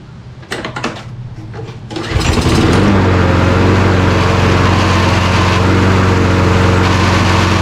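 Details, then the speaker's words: Toro Recycler mower after sitting 3 years, carburetor cleaned: engine settles into steady drone with quick rattle about four per second as worn plastic drive pinion gears skip; stripped drive gear. "Yeah, sounds like something stripped out in there, so let's get this apart."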